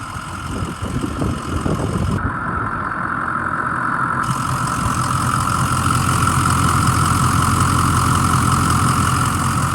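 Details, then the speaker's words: 2006 Ford E-450 Super Duty Blue Bird Handy Bus, 6.0 L diesel, started with starting fluid (starter sounds like it may need attention): engine settles into a steady, even idle clatter with no misses or knocks; it sounds really nice. "but the motor once it started it sounds really nice listen to"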